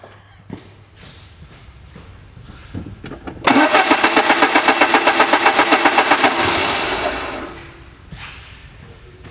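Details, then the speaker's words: 2000 Peugeot Partner, crank no start: starter cranks steadily near four beats per second for about four seconds with Bosch crankshaft position sensor wired as supplied, then winds down without firing; crank sensor signal inverted. "and as you can hear the engine did not start up so let's invert these wires"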